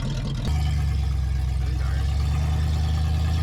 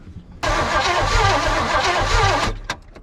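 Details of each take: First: 1978 Oldsmobile 98 revived after sitting in the woods, carb rebuilt and new fuel lines: deep, steady engine note rising smoothly under acceleration with no knocks or misses; runs, accelerates and brakes well. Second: 1978 Oldsmobile 98 found buried in woods, rebuilt carb, new fuel line, first start attempt after pumping fuel: steady cranking about four beats a second for two seconds, no firing; possibly no spark or bad fuel suspected; crank no start.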